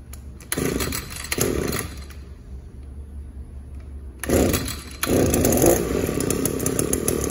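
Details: Echo SRM-280 two-stroke trimmer that would not rev up, heard after its clogged catalytic converter was cleaned, while warming up. It blips a few times, then settles into a steady, even idle without stumbling.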